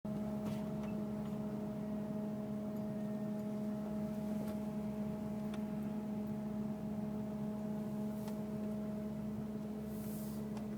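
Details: 2002 Mercury Grand Marquis, 105k+ miles: a steady, constant-pitch low hum comes from the engine bay. It starts and stops randomly, seemingly unrelated to bumps, speed or gear. Recorded while driving, parking, and during engine shutoff and restart. Source unknown.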